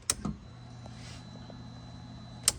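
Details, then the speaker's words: 2002 PT Cruiser derby car, electric fuel pump switched on via new toggle switch: click then low steady hum with faint high whine; pump working normally after faulty switch replaced. Normal fuel pump hum. "and you can hear her humming. She is working."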